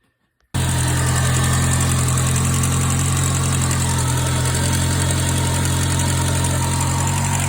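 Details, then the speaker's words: 2006 Ford Focus ZX4 after idler pulley replacement settles straight into a smooth, even idle with a steady low hum and no belt squeal or chirp; earlier noise gone; normal idle. "I don't hear that noise anymore so awesome"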